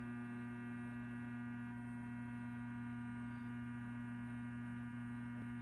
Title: !Solved It was indeed the doorbell. We got it to stop buzzing by ringing it again outside.